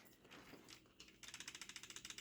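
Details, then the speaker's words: Ultimate M5S nitro engine in OFNA Hyper 7 buggy, setting clutch bell to spur gear mesh ever so slightly out from fully tight; light, quick metallic ticks as gears rock, tiny even tick showing correct backlash. "That is a tiny tick. That is an absolutely gorgeous tick."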